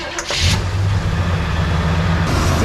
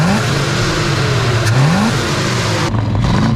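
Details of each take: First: 1978 Chevy Nova four-door, sat for years in a junkyard, cranked on a 15-volt jump booster: starter drones steadily but it never fires; pump can be felt working but won't prime, owner suspects a new fuel pump is needed. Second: 1978 Chevy Nova junkyard car, carbureted V8, idle screws tweaked and the return spring moved for more tension: the snap to wide open revs up sharply and returns quickly and evenly to a steady idle.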